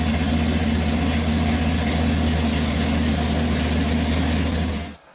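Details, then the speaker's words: 1957 Chevy V8 first fired up after about 20 years without running, freshly put back together, on open exhaust: loud, lumpy, even deep burble around four pulses a second before shutting off; runs healthy. "a very emotional moment for everybody, because that car hadn't ran for, easily 20 years. And it was all of a sudden all put back together and running."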